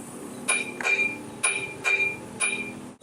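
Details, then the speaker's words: GM 3.8 engine crankshaft pulley turned by hand: sharp metallic clinks, about five in three seconds, because the rubber bond between the hub and the outer ring of the harmonic balancer has broken; the balancer needs replacing. "so this crankshaft is really a damper and it has this rubber part here notice that it's bonded to this steel it's supposed to be bonded to this but it's not it's broken so that's where we're getting our [Music] noise"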